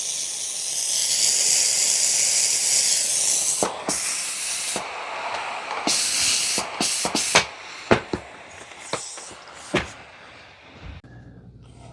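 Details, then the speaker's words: Shark steam mop Steam Blaster giving a loud steady hiss that thins after a few seconds, then short spitting puffs. The Blaster can't be held for long, only short bursts while steam rebuilds. Normal behaviour. "You can't pull this Steam Blaster for the entire length. You know, you can only get short bursts."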